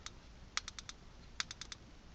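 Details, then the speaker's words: Code 3 Deckblaster strobe light with the left jumper up and the right jumper down: sharp crisp clicks in groups of four, a burst about every 0.8 seconds, in the quad flash pattern. "you probably can't see it catching the flashes on video but i can hear it clicking four times"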